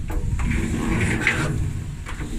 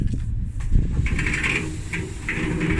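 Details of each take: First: Used dryer, drum turned by hand: low, rough, uneven rumbling grind with scraping catches; was noisy the day before; owner suspects the drum rollers are gone. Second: Dryer after repair of a grinding noise: rollers cleaned and lubricated, new belt fitted, drum turned by hand. Smooth rolling rumble with a soft swish each turn and no grinding as the belt settles; normal rotation.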